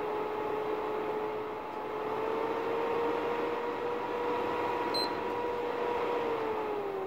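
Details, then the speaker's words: PlayStation 3 Fat running like a hairdryer right after power-on: a loud, steady rush with a humming whine from the fan at full speed due to overheating. "sprzedający wystawił konsolę jako uszkodzoną ponieważ konsola zaraz po włączeniu pracuje jak suszarka jak sami możecie się o tym przekonać"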